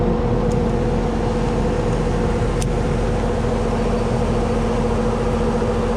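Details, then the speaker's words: Carrier AC condenser after the capacitor was replaced: smooth constant hum with a steady low tone and fan rush, no clicking or rattle. The compressor is running normally and blowing cold. "All right, should get us going. Let's test it out. I do hear the compressor. definitely blowing cold right now."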